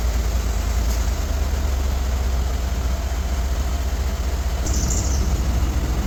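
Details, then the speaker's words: 2015 Ford F-150 after recirculation door replacement to fix dash vibration noise with A/C or heat on: steady even blower rush over idling engine, no rattle or buzz; normal blower operation. "It's working. No more noise."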